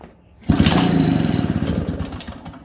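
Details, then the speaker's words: 1947 six-foot two-stroke chainsaw, cold start, dripping gasoline; a pull brings brief rough sputtering burst fading within two seconds without catching; hard starting, later runs and idles. "oh come on [Music] she's starting to drip some gasoline oh oh that's okay we'll get her going"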